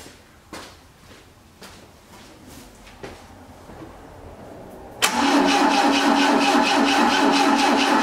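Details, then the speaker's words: 1980 Triumph TR7, 2.0 slant-four, first start attempt after 7 years: weak clicks, then steady fast cranking with firing pulses but it never catches; ignition system confirmed working, fuel pump still to be checked. "let's just see what it does you at least know the ignition systems working"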